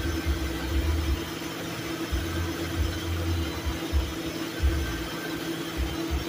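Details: Lincoln Town Car while adding R134a refrigerant: engine hum with a low drone cutting in and out about every second as the AC compressor clutch short-cycles on/off from low refrigerant.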